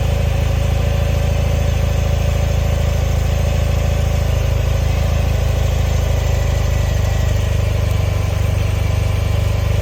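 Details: 1974 BMW R60/6 boxer twin cold start on choke: steady even low thump at idle with no knocks or misses; normal cold idle.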